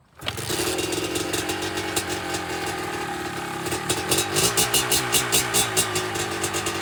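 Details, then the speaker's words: 2005 Kawasaki KDX 200 two-stroke, first start on choke: catches and crackles, revving unevenly with sputtering blips; runs rough, owner thinks the fuel-air mixture needs adjusting. "now probably gotta adjust the fuel air mixture"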